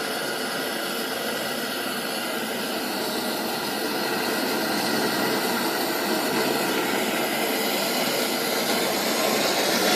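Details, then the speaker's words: 1920s Coleman No. 2 camp stove burner after priming cup preheat and hot air blast vaporize the fuel in the generator: loud, even hissing roar building slightly, no sputtering; normal burner roar, sounding of air rather than gas means generator is hot enough. "If you hear gas rather than air, then you know it's not hot enough. So if it sounds like gas, you got to go ahead and go through the steps again."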